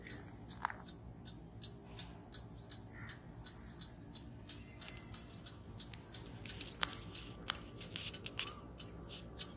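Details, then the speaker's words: Bajaj Pulsar 150 silencer after 10 minutes' continuous running, engine off: sharp, irregular metallic ticks as the hot metal contracts; normal thermal contraction, birds in background. "और इसी thermal contraction की वजह से ये टिक टिक noise हमारी bike का जो silencer है वो प्रोड्यूस करता है।"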